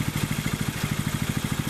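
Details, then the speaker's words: Rebuilt water-seized 6.5HP Predator Honda-clone single on a Baja Warrior minibike: crisp even beats about eleven or twelve a second, no knocks or misses; normal healthy idle, not smoking. "So that was kind of interesting, but you guys could see it's sitting there idling away. It's not smoking. It seems to be a happy little motor, which is good."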